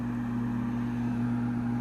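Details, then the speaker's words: 2009 Trane gas furnace on a no-heat call: the inducer runs with a steady, even hum and clean tone, no grinding or rattle. The tech thinks he heard the pressure switch click. "all right there comes our inducer and I think I heard the click from that pressure"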